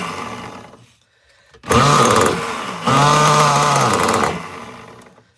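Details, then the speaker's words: Nitro RC engine on the bench, warming up, tune still rich, needle estimated about half a turn out; short raspy high-revving bursts that blubber and sag between pulls: rich fuel mixture needing leaning. "Yeah, she's rich, man. I still need to work on the tune, but it's a good start."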